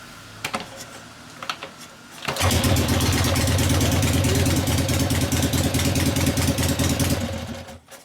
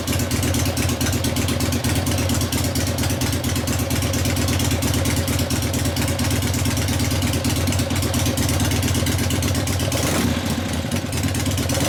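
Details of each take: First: 1970 Harley XLCH Ironhead Sportster kickstart rigid bobber, warmed up after test drive: kicks over into a lumpy loping idle around three beats per second; poor carburetor low-speed circuit, mixture screw adjustment making little difference, different jet considered. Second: 1970 Harley XLCH Ironhead Sportster rigid kickstart bobber, after a test drive. A lumpy but even V-twin beat around idle that picks up cleanly on the throttle; a healthy engine.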